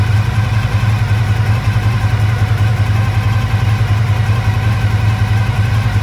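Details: 1985 Honda VF1000R after sitting three or four years with carbs not run dry: uneven, lumpy loping idle, rear right cylinder not firing, running on three; suspected blocked pilot jet, carbs to be pulled and cleaned.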